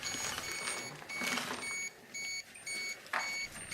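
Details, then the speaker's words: Radiation detector held near contaminated firefighter clothing in Chernobyl hospital No. 126 basement, 2013; gamma-only reading rises from 600–700 µSv/h to over 1 mSv/h near floor and clothes; rapid high-pitched beeps in bursts over rustling; dose-rate alarm. "so as i bring it more close to the floor or to the clothes you can see we're getting over one millisievert power as uniform contamination all over on that clothing"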